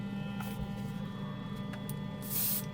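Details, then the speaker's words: Portable airbrush compressor (rated up to 40 PSI), after swapping airbrush because a moisture trap was suspected of blocking: quiet steady motor hum with a short air hiss, delivering air properly. "there was something wrong with that uh moisture trap I think it was blocking I switched this airbrush it seems to be working"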